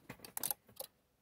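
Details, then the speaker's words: Isuzu Trooper 4JX1 with new aftermarket alternator: blue charging relay in the fuse box with a capacitor fitted gives just a few clicks at key-on run, then silence with no buzz; the capacitor fix has worked. "if i go turn that on it'll be quiet so i'll turn the key on round to the run position and you shouldn't hear anything apart from a few clicks"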